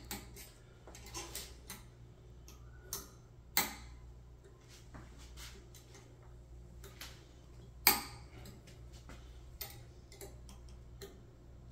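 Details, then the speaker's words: AnoleX 4030-Evo Ultra CNC router after a closed-loop stepper motor upgrade: sharp, irregular clicks, about fourteen a minute, over a quiet hum. Some part is rubbing; the cause is unconfirmed, and the couplings are being checked. "all right I think when you hear it clicking like that it's rubbing"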